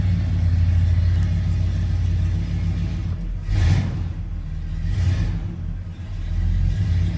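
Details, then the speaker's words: 1986 Ford F250 460ci V8 started after sitting four or five days, a couple of pedal pumps first, all levels good: deep, even rumble with quick throttle blips settling back smoothly; pretty good idle, healthy warm-up. "got a pretty good idol"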